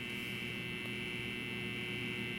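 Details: Tripp-Lite LC1800 line conditioner running from a DeWalt DCB1800 portable power station to make pure sine power for a TV and air conditioner; constant even mains hum with steady higher buzz, normal transformer hum.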